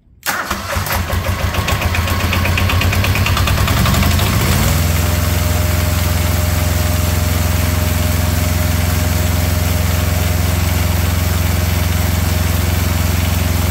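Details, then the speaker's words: Small diesel auxiliary power unit engine off an old truck, first startup, cold, no prep, after glow plugs: cranks about four seconds, catches and settles into a steady, even diesel chug with no knocks; runs great. "well that thing runs quite well that is that's impressive now I did nothing to this motor as you saw I haven't tried to pre-start it I didn't warm it up but that was its first startup and thing runs great"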